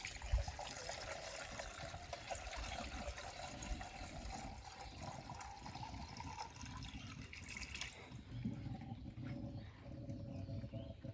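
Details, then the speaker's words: 2011 Mercedes-Benz ML W164 during a total coolant flush, refilling with radiator flush and demineralized water: low trickling and gurgling as air burps out; keep topping up until the burping stops. "now straight away you can actually hear that gurgling as the Air's coming out so the trick is you just want to keep topping it up until all of that burping stops"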